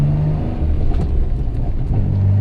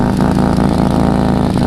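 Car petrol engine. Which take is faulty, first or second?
second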